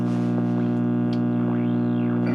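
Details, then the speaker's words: Unopened Philco tube radio tuned to WOR 710 kHz, brought up slowly on reduced line voltage, now at 70 volts: loud steady buzzy mains hum with a heterodyne whistle, possibly WOR, sliding over it; owner concludes it at least needs filter caps. "We're 70 volts. Oh. And it's humming. I don't know how well that's coming through onto the camera, but I do hear a heterodyne in the back that sounds like it could be WOR."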